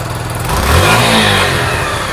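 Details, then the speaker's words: Sinnis SC125 single-cylinder bike. Revs lift and sink back slowly instead of dropping to idle, so the revs hang and the idle hunts. The cause is unknown. The idle may be set too high, the carb air-fuel screw has been tried, and an airbox filter is to be fitted. "the reps hang as well so there's something strange going on i don't quite know what it is"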